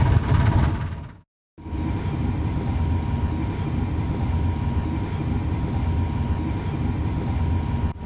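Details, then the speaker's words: Furnace blower after cleaning a dirty, imbalanced squirrel cage: steady, even low rumble running smoothly, earlier rattle gone. "alright we fired it up blower motors are on it's running very smooth I don't hear that rattling noise anymore"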